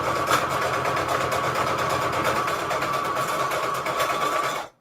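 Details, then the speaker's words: Sewing machine running a default straight stitch: fast steady stitching with a loose, tinny, rusty-sounding rattle throughout while still sewing fine; cause unknown, owner suspects it needs cleaning. "why that is making such a rattle i really don't know it's sewing just fine it's just rattling like i said i think i need to clean it"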